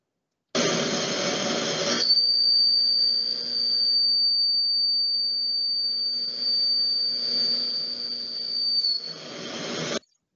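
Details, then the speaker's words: Milling the same slot with an extra-long end mill instead of a short one; piercing, steady high whistle over the cut is chatter from the long tool vibrating. "ese silbido bueno es parte de la vibración que estamos generando al elegir un cortador largo"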